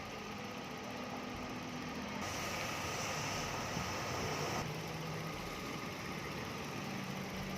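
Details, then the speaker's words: 2010 Toyota Vios, idle with AC running: faint steady howl over a quiet, even idle; the compressor howls slightly when working, treated by adding Denso oil 8 as a stopgap; AC compressor howl. "เนื่องจากตอนคอแมนทำงานนั้นจะมีเสียงหอนอยู่หน่อยๆนะครับอันนี้ก็เลยแนะนำลูกค้านะครับ"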